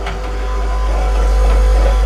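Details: Lincoln Continental / Continental Mark III power window with ignition on and power restored: low, steady motor hum that never strains or changes load while nothing moves; window regulator drive gears/pucks stripped, pucks to be replaced.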